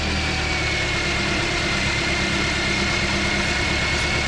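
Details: Engine idles evenly and smoothly with a faint thin whine above it and no knocks or stumbles, after a restart with battery charged during alternator troubleshooting (computer relearning after battery was unplugged); normal idle.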